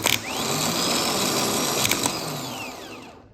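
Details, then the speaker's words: Starter removed from a 2008 Ford Ranger 4.0 with a replacement engine, no-start after sitting months, bench tested: rough growling whine climbing as it spins up, then winding down fast in about three seconds; worn starter, replaced. "It doesn't just spin up. That's pretty growly. And it stops pretty quick."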